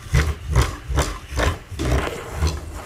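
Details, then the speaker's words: ADIMLab Gantry 3D printer filament spool holder turning: low, rough groaning pulses about twice a second from dry friction. The owner plans to fit ball bearings so it turns smoothly. "okay so one of the main things that's freaking bugging me is how much this thing it sounds like it's farting the filament holder when it rotates like like listen to this"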